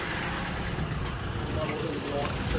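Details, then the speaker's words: 2019 Ford Transit ex-fleet diesel truck after exhaust blow repair, with an AdBlue fault still pending: steady diesel clatter at idle with no puffing or ticking from the manifold, blow gone, sounding how a Transit should; normal idle. "I'll tell you what that sounds like. Transit. Sounds like, sounds a transit. Like a train."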